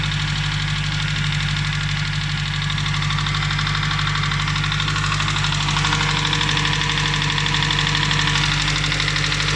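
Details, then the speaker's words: Nissan Primera P11 SR20DE, knock after oil change lasting about 1.5 minutes: light regular tapping about three times a second over steady idle from the top end; owner suspects hydraulic lifters with thick oil. "отсюда звук. Гидрокомпенсаторы. Масло густое."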